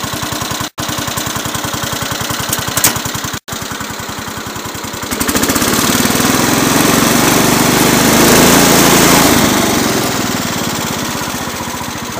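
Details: Cub Cadet 107 garden tractor, cold start on full choke, new fuel filter and fuel line: steady even putter at idle, rising smoothly with throttle, no misses or knocks; little smoky at first, then runs good.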